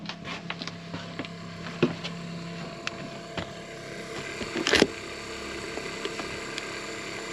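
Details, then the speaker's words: Arctic Fox 990 truck camper's onboard water pump running dry at an RV park after the full fresh tank ran out with no shore water connected: steady light motor hum with irregular ticks and rattles, pulling no water. "this is the sound of our water pump when it has no water to pulp so we're at an rv park and i didn't bother setting up connecting to like shore water just because we had a full tank of water so now we've run out of water our pump is just running"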